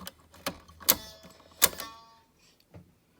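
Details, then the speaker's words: Electrohome portable record player after cleaning and lubricating dry drive assembly and motor: sharp irregular clacks and brief scraping buzz as the speed-change mechanism shifts briskly; harsh action, cause not pinned down. "sounded worse than I thought it would I don't know if it's supposed to change speeds as briskly as it does"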